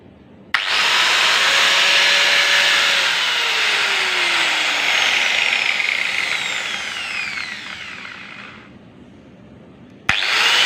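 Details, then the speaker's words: Makita 9553B angle grinder test run after replacing worn carbon brushes that left it totally dead: clean high whine spins up quickly, holds steady, winds down smoothly at switch-off, no rough or grinding sound; normal running after repair. "Dan setelah kita lakukan pembongkaran, didapatkan karbon brush yang mengalami keausan ya."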